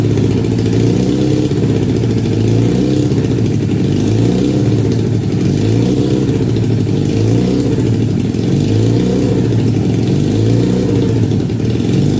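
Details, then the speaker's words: 1968 supercharged Honda CL175 (175cc with 300cc blower), first start in 30 years after kick start, hot garage about 92°F: single idles fast and hunts, surging about every two seconds; owner suspects vacuum leak, carburetor jetting or oversized blower. "Well, definitely wants to idle high. There could be, or there are several reasons for that, but I'll just have to figure that out another day."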